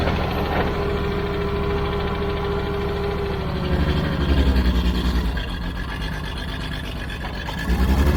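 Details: Old Caterpillar D6 dozer diesel started after fuel was found to be the problem, doing a little blading: deep steady rumble, firm even firing, revs sag under load and recover cleanly; normal running.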